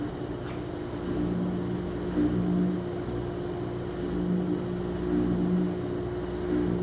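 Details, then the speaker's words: Front-load washer with a no-water-entering complaint, high-RPM spin checked for bearing, drum, door boot gasket contact and sway: even steady hum, no rubbing, scraping or wobbling thumps. All functions normal; technician suspects out-of-balance loads. "all the Cycles have test good from door lock to water valve to water valve turning off to agitation to drain now spin all functions appear [Music] normal"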